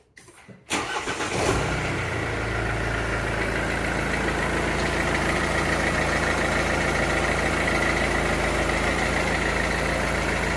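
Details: Mercedes W204 with OM651 diesel after timing chain tensioner replacement for chain rattle; quick crank, clean catch, then even diesel idle with no rattle at startup or afterward.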